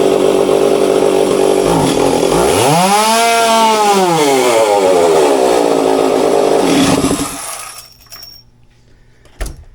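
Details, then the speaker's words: Stihl two-stroke chainsaw after fine-tuning the carburetor high and low screws: snaps cleanly to high revs and drops back smoothly, no stumble or bogging; crisp, responsive running. "had to do quite a bit of fine tuning on the high and low here but as you can hopefully you can hear and see I mean she's much more responsive and quicker so um that's what you want"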